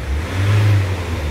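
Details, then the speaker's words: Iveco 35s14 diesel that wouldn't start because of two blown fuses (including a 20 A) and a failed relay in the engine fuse box, now repaired: injection light off, smooth even rumble revving cleanly with no misfire or knock, and no fault codes. "Tá beleza já para acelerar acelerando perfeitamente"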